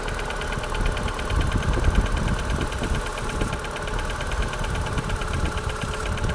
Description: Piston slap w K16 1.4 o poranku, temperatura ok. 0 stopni Celsjusza